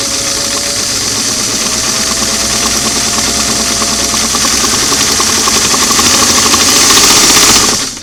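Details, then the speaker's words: Singer model 338 on a restored clamshell foot pedal after adjustment, four carbons removed: steady high whir climbs evenly without surging or stalling; the motor starts earlier and each speed has more range, so control is less touchy. "good and they have a little more range of motion at each speed you know it's not so touchy I get it going here and then it's going to start will slow it's easier to control the speed"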